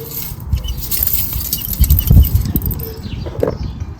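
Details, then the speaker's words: 2005 R53 Mini Cooper S with lack of power and odd lift-off noise: removed exhaust shaken gives loose gravelly rattle; catalytic converter substrate broken up inside, suspected of blocking exhaust and causing running issues. "I'm sure bits of the cat shouldn't be uh falling out so clearly that's going to have a bit of area effect on on the running because that's um clearly down to uh to block it up"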